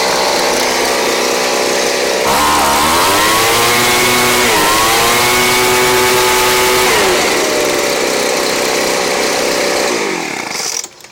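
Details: Craftsman 29cc two-stroke blower, received missing its spark plug and with no gas, now fitted with a Chinese aftermarket plug from a carburetor kit; strong buzz revs up and down cleanly with no misfire or stumble, running normally.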